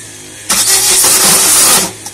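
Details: After a new wiring loom was installed: a hissy, churning crank of about 1.5 seconds dies away without the engine catching. Cranks but no start.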